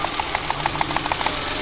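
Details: Mitsubishi Mirage with engine vibration, idling during coil-by-coil testing: light, uneven ticking about six times a second over a shaky idle; misfire.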